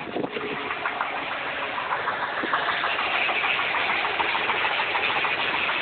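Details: A just-bought 1994 Nissan 300ZX Twin Turbo idles steadily with a light, fairly even tapping of about three per second over the engine note; it sounds like a knock, and the cause is unconfirmed.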